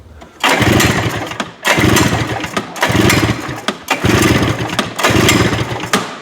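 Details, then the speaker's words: Two-stroke snowmobile pull-cranked for a compression test: five firm, even chuffing bursts; this cylinder reads over 120, healthy, while its other cylinder reads only 60 and needs a top end. "what do we got over 120 that right there that's good that is what we want to see"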